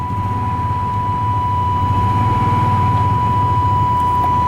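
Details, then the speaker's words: 1998 Chevy Vortec V8 running again after 10 years sitting, following a Passlock reset: steady, even idle with a smooth low rumble and a faint constant whine, no knocks or misses, charging, with plenty of oil pressure; normal idle. "Okay, running good."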